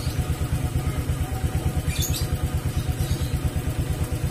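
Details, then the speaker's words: Honda Vario scooter that died on sudden acceleration, after cleaning the air filter with petrol and refitting it: steady even low putter about three beats a second, no stumbling or hunting; idles smoothly. "The paper looks like it's been removed , but it's still attached, so the sound is still smooth, it doesn't get loud if you don't use it."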